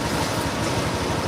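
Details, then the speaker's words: Honda Beat Pop injection scooter that stuttered (brebet) on throttle, after replacing the fuel pump, revved: even, steady running with smooth low pulse and no stutter or hesitation; stutter gone. "Oke teman-teman, jadi untuk suara untuk berebebnya udah hilang. Jadi untuk berebebnya udah hilang karena kita udah melakukan pergantian di full pump."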